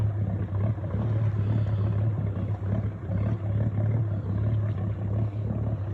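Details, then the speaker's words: Boat engine at slow speed in no-wake zone: low, uneven chuffing burble that sounds like a misfire, but the engine runs smoothly; caused by water pooled in a large low spot of the exhaust pipe being blown out. "you know earlier it sounds like a misfires but we figured out there's a low spot there's a huge low spot in the exhaust pipe and the engine has to blow the exhaust water out of that low spot in the"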